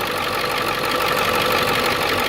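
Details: Ford Excursion 7.3 diesel after replacing the seized pulley housing and damaged serpentine belt: steady, even idle with smooth unbroken drone, no squeal, chirp or slap from the belt drive; normal idle.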